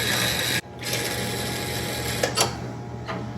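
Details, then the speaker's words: Ford LGT 100 lawn tractor (possibly 1971), long parked barn find: key turned with PTO off, starter solenoid rattles in rapid dry clicks with no cranking; battery too weak or starter still seized, probably both. Starter solenoid chatter, no crank. "That means our wiring works, but you can hear the starter does not. It's grinding. I'll get the hammer. It's not actually grinding. Do it again. It's just the electricity, guys. No, that's the solenoid rattling back there."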